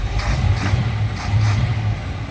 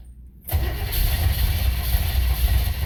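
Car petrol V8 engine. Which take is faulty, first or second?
second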